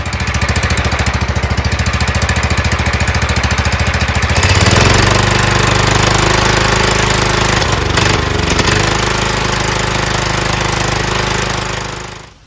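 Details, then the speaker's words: John Deere LT160 Kohler Command single-cylinder on a new carburetor, gravity-fed fuel bypassing the mechanical pump; quick even idle pulses then speed jumps and hangs uneven; new carburetor's idle speed misadjusted, needs adjustment. "I have to adjust the new carburetor because the idle's"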